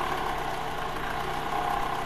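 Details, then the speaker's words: Toyota Highlander/RAV4 or Lexus 270 engine in gear with a little throttle: light rapid tapping over steady running; suspected worn balance shaft. "这种80%、90%都是平衡轴的异响。"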